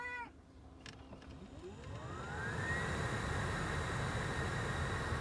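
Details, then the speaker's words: 2005–2019 Nissan Frontier, newly replaced blower motor spinning up to max speed: smooth whir climbing steadily in pitch like a car accelerating, no rubbing or ticking; healthy blower after replacement. "it has like a like a i don't know that motor you can hear it it's kind of like a spaceship sound look it sounds like a car accelerating"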